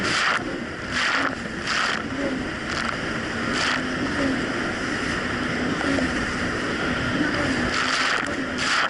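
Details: 2007 Yamaha VX Cruiser jet ski on choppy Lake Michigan after new, properly gapped spark plugs (about .028): steady drone under splashing and wind, no hunting or surging; normal running, surging fixed.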